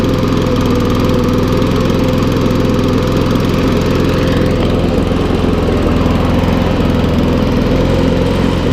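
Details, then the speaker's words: Briggs & Stratton lawnmower, a non-runner unused for over two years and revived with little work, runs steady at idle with a rough, crackly edge as oil and water in the engine burn off. "There's a lot of oil and water. I can hear it crackling."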